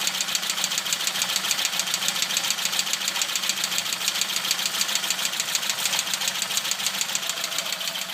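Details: Opel Kadett B OHV tuned 1.2 S engine with higher compression and modified camshaft, original carburettor refitted in place of the Weber, low idle: sharp light ticking about 3.5 per second, fairly regular; owner fears a bearing, source not pinned down.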